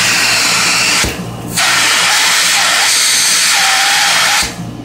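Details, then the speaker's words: 1925 Spencer Turbine central vacuum cleaner on a variable frequency drive at full speed: steady, even high rush of air that drops briefly, then returns as the inlet is opened. Smooth, healthy performance. "so it's running on full speed and that's that just motor sound and then if we open the inlet"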